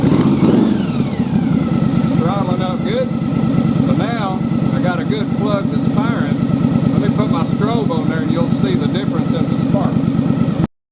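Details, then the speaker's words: Yamaha Virago bobber V-twin idling after the fouled spark plug was replaced: a steady, even putter with both cylinders firing and no misses; normal idle. "so now let's fire this thing up and see if that fixes our problem [Music] ah suddenly i'm hitting on two again"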